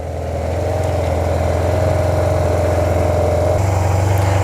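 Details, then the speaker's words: Neglected Yamaha TMAX maxi scooter under restoration, just jump-started with a portable battery, low fuel, no engine lights: low even burble, steady beat, no knocks or rattles, quiet and not apparently burning oil; normal idle. "Really quiet, doesn't seem to burn oil. I want to let it run for a bit because I want to look at the oil level."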